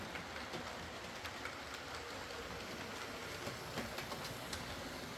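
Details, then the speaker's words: Used Hornby R2959 Thompson L1 2-6-4T running on the layout after greasing the worm gear: smooth, even motor hum with steady clicks over track joints and no grinding left. The earlier forward grinding came from excess gearbox play. "Uh, a spot of grease on the worm gear solved the problem thankfully. And it's uh it's a very nice runner now."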